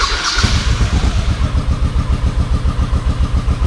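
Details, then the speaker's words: V-twin motorcycle sat about a year on old gas, pod filters, started on full choke: heavy lumpy low thuds about four a second with uneven gaps; rear cylinder hot, front cold, running on one cylinder from dirty carburetor. "It sounds like it's running on one cylinder. I can tell which one it's running on by whichever one gets hot. This rear one is the one that's running. This front one is cold as ice."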